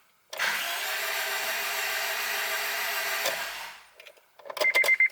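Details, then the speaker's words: Acura RSX new engine being primed, after fixing forgotten driver-side and transmission ground straps: steady even cranking for about three seconds with no knocks or scrapes; oil pressure built. "there we go uh engine is primed you always want to do that before you're starting a new engine on a new build"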